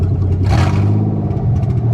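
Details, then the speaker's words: 1990 Nissan 300ZX engine after fitting a new MAF, still cold so it may miss slightly until the valves heat and seal: deep even note rising in one clean blip and settling without stumbling; revs smoother than with the hesitant old MAF. "it sounds good, revs good. It definitely revs smoother. It was real hesitant when the old MAF was on there, so another step in the right direction."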